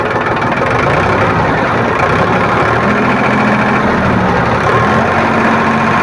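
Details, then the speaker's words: Powertrac tractor diesel after fuel pump drop timing set: rpm lever raised from 500 rpm idle, smooth even note picking up, described as very sweet sound, no knocks or misses; normal revving. "और जैसे ही इसका race अब बढ़ाते हैं RPM, तो बहुत मीठा sound आता है, आप लोग सुनिएगा इसका।"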